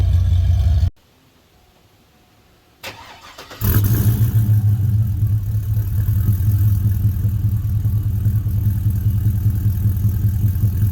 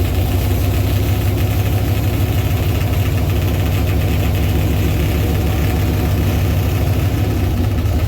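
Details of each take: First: 2000 Chevy Tahoe after a swap from a knocking 5.3 to a 6.0 V8, with long-tube headers and Y-pipe: after a short quiet spell it barks to life and revs cleanly with a deep, strong, even roar. Normal revving. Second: Chevy Tahoe with a 6.0 V8 swapped in for a knocking 5.3, longtube headers and a Flowmaster FX muffler: a loud, deep idle with a fast, even slapping chatter from the engine fan hitting its shroud.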